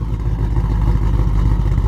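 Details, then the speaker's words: Shelby GT500 (about 900 hp), first start on E85 (about 77% ethanol) with a freshly flashed base self-tune: loud deep note that lumps and wavers; rough running, with a recurring throttle position sensor stuck-open check engine code. "dude your tune is bad man it doesn't sound right it's in fail safe"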